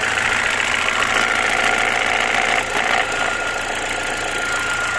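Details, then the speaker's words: BMW E46 with N42 four-cylinder at idle: a light knock of about three or four a second that comes and goes periodically; the source is unknown and the cause is not confirmed. "Может что знает подскажет что за звук он периодически появляется"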